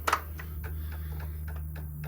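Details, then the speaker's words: 2002 Honda Metropolitan scooter, key on after the fuel system and tank were drained, cleaned and refilled with fresh fuel: light, regular ticking about four times a second over a low hum as the fuel pump primes normally. "do that fuel pump clicking down there"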